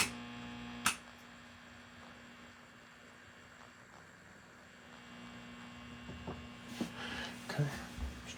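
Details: Mesa Boogie Triple Rectifier Solo guitar amp head, channel-switching fault fixed: constant low 60 Hz buzz that doesn't change with controls; pervasive mains hum in the preamp, source not yet found.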